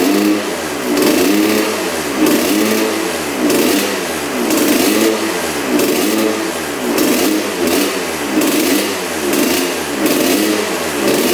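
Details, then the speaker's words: Honda CR125 two-stroke dirt bike (1986/87) on 40:1 premix, first firing after a spark plug swap: revs rise and sag, bogging at full throttle; the owner suspects a clogged pipe, and thinks a bad plug and stuck throttle slide were partly to blame. "the bog almost sounds like the the pipe is clogged so I wonder if that's what's going on"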